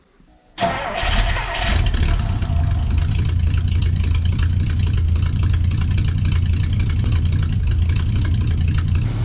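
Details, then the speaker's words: '59 with a 326 cubic inch engine, cold start after sitting a few weeks: a short crank, then it fires straight into a loud, steady cold idle with an even rumble and no misses or knocks; normal. "but there she is her like a kitten she'll warm up"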